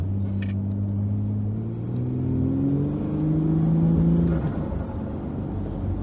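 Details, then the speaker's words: Naturally aspirated, high-compression Barra engine converted to turbo, road test after repairs: engine pulls cleanly under load, pitch rising smoothly with no stumbles or popping; healthy, strong normal acceleration. "it's feeling good here - fun somewhere can I open it up a bit right oh it's go time yes we're back we're back in business baby harder feels good that feels so good"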